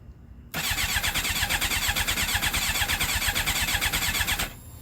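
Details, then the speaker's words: GSXR with a 600-to-750 engine swap, second start attempt: steady fast cranking, a little over two beats a second, for about four seconds with no catch; owner suspects the Power Commander, not confirmed. "No start. All right. Honestly, I think I might know what this is already. I actually think it might have something to do with the power commander."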